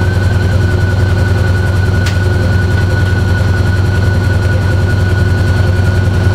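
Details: GE washer: loud steady drone with a regular knock about two to three times a second; gearbox suspected and replaced first, but fault was the drive motor with internal speed-control actuator, which later broke apart and failed.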